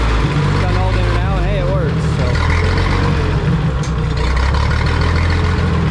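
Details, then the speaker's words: Minneapolis Moline tractor lugging in fifth gear under load: deep, uneven, loping beat as if one cylinder keeps dropping out; owner suspects one cylinder missing; engine misfire. "Can't tell if it's got maybe a slight mess or I think it is missing on one cylinder out the spark plugs."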